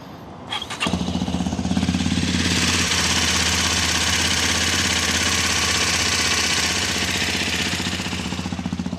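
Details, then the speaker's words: Hero XPulse 210 after engine head replacement for top-end noise, started in neutral: starts readily and holds a smooth, steady idle with an even beat, no top-end knocking; normal start and idle. "Complete change ಆಗಿದೆ ಗುರು noise complete change ಆಗಿದೆ."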